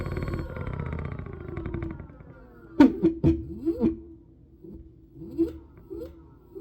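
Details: Synergy electric scooter, throttle pulsed on and off: motor whines up and down with a few harsh random grinding crunches mid-run, appearing at higher speed; owner suspects something out of alignment, unconfirmed.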